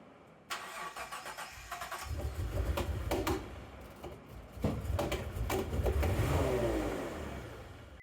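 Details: Mitsubishi 3000GT VR4 turbo project car on its second start attempt. It catches after cranking and runs rough and uneven for several seconds before shutdown. The owner suspects overfueling and possibly an ECU with leaking capacitors; this is not confirmed.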